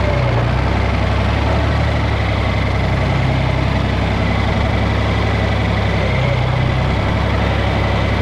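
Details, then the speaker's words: John Deere 4020 diesel tractor after troubleshooting fuel problems: deep even idle, no misses; belt sounds slightly slipping, no leaks, clean fuel in filter; that was all it needed. "Sounds like the belt's slipping a little bit, but that's no big deal. Nothing's leaking."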